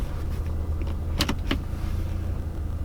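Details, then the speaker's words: Audi A3/S3 MK7 with APR pendulum and dogbone mounts, shortly after cold start: steady idle in drive with no rhythmic tapping that was heard in reverse, only brief cabin clicks; normal idle in drive, no mount tapping. "now that I'm Drive you don't actually hear it or feel anything"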